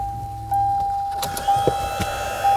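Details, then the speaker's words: 1998 Ford Contour replacement blower motor, plugged in under the dash for a test before installing: a clean, steady mid-pitched motor hum with a few handling knocks. The blower motor runs properly. "It also occurs to me before we get started, the electrical connector is right down here, and I could just plug this in and see if this blower motor works."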